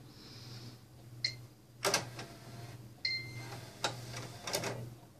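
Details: Xbox One disc drive: irregular scratchy grinding bursts and clicks over a low hum; it scratches the inner ring of discs and won't play them.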